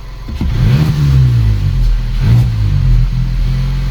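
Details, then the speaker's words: VW Polo R Line 1.2 TSI petrol, foot off accelerator: revs surge and hang a second before slowly sagging, twice; idle won't drop cleanly. Owner suspects a faulty accelerator pedal position sensor, unconfirmed. "there you are it's sticking now and then it goes down so I think see that now my foot's not even on the [Music] accelerator"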